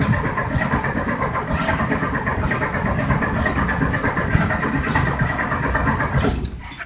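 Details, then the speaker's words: 1973 VW Thing engine parked since the early 1980s, carburetor baseline set, primed, no choke: steady cranking with about one weak sputtering catch a second but no run; no start, ignition timing suspected off, distributor being turned. "It's trying real hard. Who knows if the timing's right? Like I said, it was all messed with, so we'll give that a little turn."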